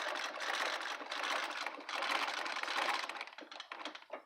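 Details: Treadle sewing machine after cleaning, oiling and tightening the pedal gap to cure a clunk: a fast, even patter of light needle strokes with no heavy clunk, normal running.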